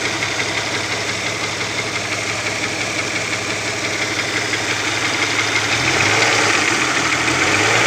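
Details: Opel Omega B engine at idle: a light, fairly regular knock of about three per second above the engine hum; exhaust camshaft knocking on the second cylinder head.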